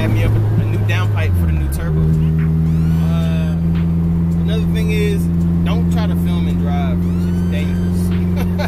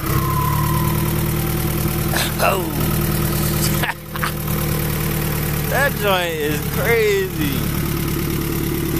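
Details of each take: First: Honda Prelude F20B with new Precision 6266 turbo and downpipe, charge pipe not yet connected: steady engine drone with sharp rising and falling whistles on throttle changes as boost vents straight out the open compressor outlet. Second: Honda Prelude F20B with a new, bigger Precision 6266 turbo and downpipe: smooth idle, then quick blips with a whistle climbing and falling on each rev; deeper tone and more whine than before, normal spool.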